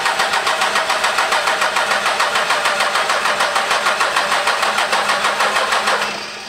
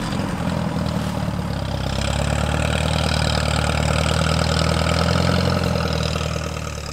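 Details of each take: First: 12V Cummins diesel after reinstalling the P-pump, cranking in about 15-second intervals while fuel lines bleed: steady starter cranking about three turns a second that never catches. Crank no start, air in injection lines. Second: Alice Chalmers tractor engine, sat all winter, fires up after two hours of failed cranking once the key is turned on: low, steady idle with an even lumpy beat, no knocking or grinding; healthy normal idle.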